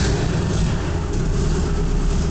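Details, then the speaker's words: 1985 RHD Land Rover Ninety (Defender) with Rover 3.5 V8 (ex-Buick 215) just fired up; low V8 rumble, uneven and lumpy at idle; runs a little rough, also lacks power; cause not found. "So yeah, it runs a little rough and I need to fix that, but if I use a choke, that'll help."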